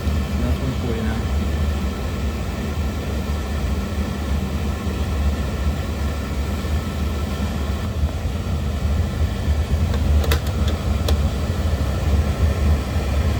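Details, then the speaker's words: Intermittently shutting-off oil burner, pump pressure reset to factory 140, after cleaning and oil solenoid replacement: low steady roar, pump holding one even note, no surging or flicker; burner fires normally while the tech is present. "Pump's holding steady at 140. No flickering, nothing. Kind of coming on. Coming on. Shutting. I mean, everything's working fine."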